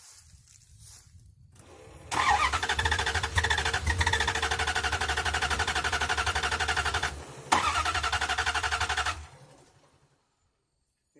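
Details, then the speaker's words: Truck cranks steadily at about four turns a second, pauses, cranks again with some throttle applied, never fires; cranks but won't start, cause not found under the hood. "number two this truck will not start at all like listen"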